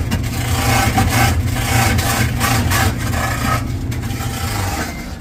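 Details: Samsung dryer drum turning with a loud rasping rub that rises and falls about once a second, like something dragging as it rotates; scraping noise.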